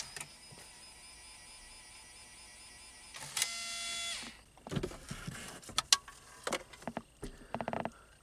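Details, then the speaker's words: 2003 Pontiac Grand Am GT CD player: a short motor whir, then irregular clicks and clatters as the disc goes in. The mechanism struggles and won't play; the CD player does not work. "But another thing that I discovered when I was tinkering with this the other day to see if it worked or not was the CD player does not work."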